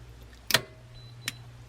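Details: 12V 200AH LiFePO4 battery, three years old, 18,000 miles used: sharp bright click then a lighter tick as the BMS discharge contactor engages normally after charging to about 14.1 V.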